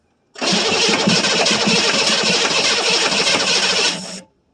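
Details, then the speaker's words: 1982 Chevrolet Silverado K10 with 6.2L diesel, sitting about 22 years, new batteries, cold start attempt: four seconds of steady even cranking that never catches; crank no start, no fuel delivery. "So, I guess for this one, we're just going to call it a success cuz we do know it runs now. Now, we just got to get some fuel going to it."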